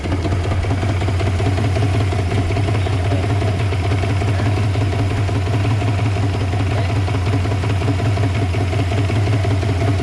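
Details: Yamaha 150 hp two-stroke outboard idles steadily low but with a slightly uneven, lumpy beat underneath; rough idle, cause not yet clear.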